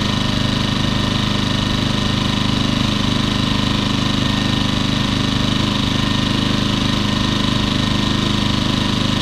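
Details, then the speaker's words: Champion 2000W 73536i generator, about 16-24 hours of use, after cleaning the carburetor and idle jet and adding a fuel filter: the small engine holds a smooth, even, steady idle with no surging, as it should. "that's what it's supposed to sound like"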